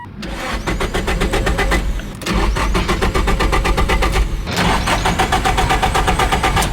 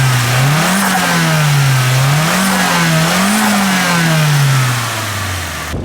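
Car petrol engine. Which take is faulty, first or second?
first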